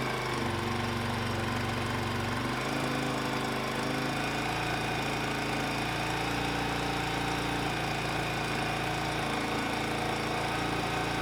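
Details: 1999 Suzuki DR350 bought disassembled, engine reinstalled with 1700 ml fresh oil, first start on choke; rapid single-cylinder thumping settles from a rough catch into a steady, even run; normal running.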